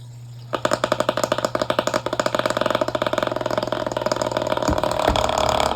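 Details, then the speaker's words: Black household fan with a damaged blade sitting off its shaft notches: fast rhythmic rattling pulses that quicken as it spins up, the whole fan visibly shaking and vibrating on speed setting three; blade to be replaced. Fan blade vibration. "It does. It shakes as you can see. I don't know if you can see but if you can see that sort of pulsing effect there that's the fan shaking. It vibrates as well."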